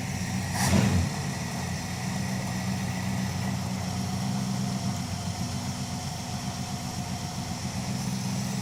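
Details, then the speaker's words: Dodge 5.2L V8 in crew cab Charger project, seafoam poured in crankcase: brief blip then smooth, even low idle with no ticking or misses; tick heard briefly at startup stopped. "runs good today. Not really moving around too much."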